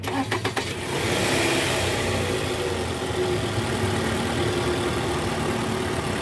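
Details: 2010 Toyota Vellfire, 2AZ-FE 2.4L, around 100,000 km, cold morning start after sitting overnight, after balancer shaft replacement: the starter cranks briefly, then the engine settles into a smooth, even idle with no knock or rattle. Normal cold start.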